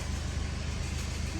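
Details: Mercedes Sprinter van, 2.1L OM651 diesel, 78,000 miles, idling with a fast, rough low rattle; the catalytic converter bracket has snapped its bolt and cracked, causing an exhaust rattle.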